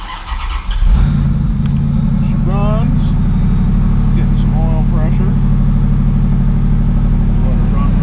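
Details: 1995 Chevrolet Corvette C4, 5.7L LT1 V8, 4L60E automatic, 63,000 miles: cranks and catches at once, then a steady, even low rumble with no knocks or misses; healthy idle.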